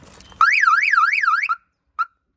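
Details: Mercedes 190E (W201) after a year under cover, battery just reconnected, replacement aftermarket alarm: loud rising-falling siren warble about a second then one short beep — alarm chirp on disarming, working normally.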